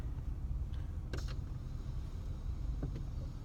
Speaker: the fan is not working at all